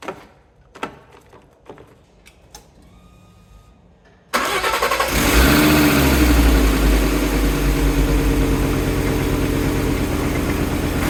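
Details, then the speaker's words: Fiat Coupe after restoration work with belt refitted and tensioned: clicks, then engine catches at once and settles into smooth steady idle, no belt squeal; battery charging, no dash warnings except airbag light (unit not fitted). Normal start and idle. "so first stage complete she's up she's running batter's charging we've got no warning lights on the dash"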